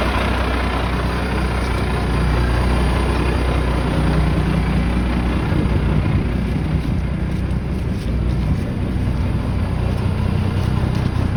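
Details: 1987 Ford LN9000 house-moving/wrecker truck, diesel, just revived after sitting in a field about 20 years: deep, steady rumble idling evenly, low-pitched and smooth, no knocks or misses; healthy idle.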